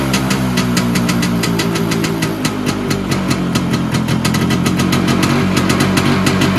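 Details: Vespa PX 125 with a 177 kit, first start after a year: a restored engine with new bearings, piston, rings, lapped cylinder and 2.5% mix; quick, crisp two-stroke popping at a steady idle, firing evenly with no rattles or knocks; a normal idle, though the owner wants it raised.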